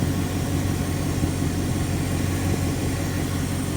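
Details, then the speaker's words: 1980 Dodge W200 truck with V8, first drive after restoration: smooth, even low idle with steady rumble, no ticks or knocks; engine nice and quiet, though the power steering squeals from a leak. "It's nice and quiet under the hood."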